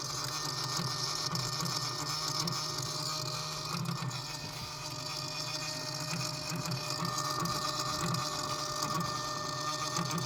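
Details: 2016 BMW X6 F16: a loud, steady electric whir with an uneven rattle about four times a second that continues for two to five minutes after the engine is shut off.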